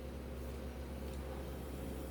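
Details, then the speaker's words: Electric fan that ran slow, after oiling the bushing: steady even low hum, spins freely; lack of lubrication was the cause. "Yan, paandarin natin yung nalangisan. Ayan o. Diba? Kulang lang sa langis to eh."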